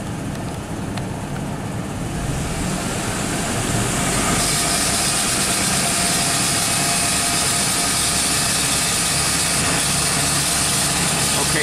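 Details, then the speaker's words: 2001 Chevrolet pickup with AC on, engine raised to 2,000 rpm: rough rattling, hitting knock over the high idle, absent below 2,000 rpm and also heard driving as gears change. "making like a round hitting noise after when we don't hit 2,000 rpm is just fine but the minute we get 2,000 rpm or if we're going down the road and as the gears are changing it starts to make that noise"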